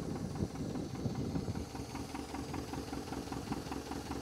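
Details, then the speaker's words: International Scout 80 (1963–65), sat over 10 years, first run, fuel hand-fed by bulb bypassing the pump, oil pressure about 50 psi: slightly uneven idle with a sharp, rapid ticking puff from a known exhaust leak; motor otherwise sounds pretty good. "I knew it had an exhaust leak, but the motor sounds pretty darn good."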